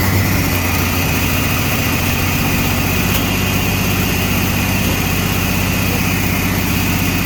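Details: Chevy S10 street rod, homemade turbo setup with carbs, fired up after carb tweak, run in shop: loud lumpy idle with uneven low pulse stumbling like a cylinder dropping out; rough idle, mixture possibly off.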